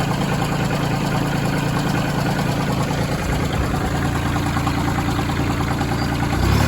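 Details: Branson 2500H tractor, A1100 diesel, three weeks old, 38 engine hours, idling: uneven knocking in the low rumble; owner suspected rocker arms but doubts it, cause unknown.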